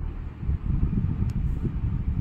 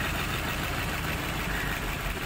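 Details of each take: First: Maruti Suzuki Baleno after the misfire repair and code scan, check engine light gone and rpm needle steady: a low, soft idle at even speed with no skips or shakes. It now idles normally with no misfire. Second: Maruti Suzuki Baleno with a check engine light, misfire and poor pickup: with the cylinder 4 connector pulled there is no change, and the idle stays uneven and lumpy. Cylinder 4 is dead; a coil or plug fault is suspected, to be checked by swapping coils between cylinders 3 and 4.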